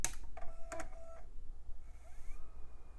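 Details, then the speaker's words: iMac G4 optical drive, removed and disassembled, powered on the bench with a disc clamped (laser visible through the disc): it clicks, spins up with a rising whir and keeps reseeking without settling. It fails to read the disc; the drive is suspected to be no good. "seems like that thing's having a bad time yeah seems like this drive can't quite make sense of that disc I think it's probably no good"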